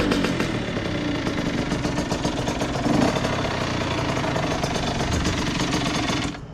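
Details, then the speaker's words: 2001 Honda CR80 two-stroke with stock exhaust, checked for a knocking noise: a rough, uneven burble that sags and nearly dies at the end. The idle is set too low, and the idle screw is then turned up by hand. "I might need to turn the idol up a little bit y'all let me turn the idle up a little bit yeah it's a little too low"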